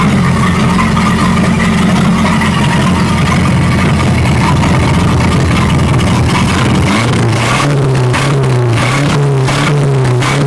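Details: 1937 Buick Roadmaster at a steady fast idle that never settles to a slow lope; an unused starter solenoid holds the throttle open too far regardless of idle screw setting.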